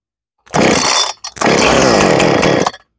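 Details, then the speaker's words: Husqvarna chainsaw with new carburetor, primed, decompression button pressed, started on the second pull then half choke: two short bursts of high raspy two-stroke revving catching cleanly; normal start, carburetor likely tuned well. "So it started up right on the second pull, and that tells me that the carburetor is probably tuned pretty well because it wanted to start right"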